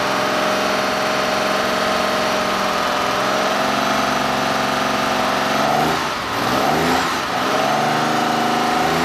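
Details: 1969 Porsche 911T flat-six, freshly rebuilt with rebuilt Marelli distributor just installed, first start-up before carb and timing tuning: catches and settles into a steady, slightly uneven idle with a couple of throttle blips; normal running after start-up.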